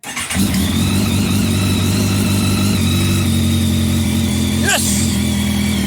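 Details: 2004 Kawasaki ZX10R that sat unused for 3 years, started with a new tank, fuel pump and iridium spark plugs: after fuel pump priming it fires up and settles into a steady, even idle; a healthy start with no bearing or rod knock.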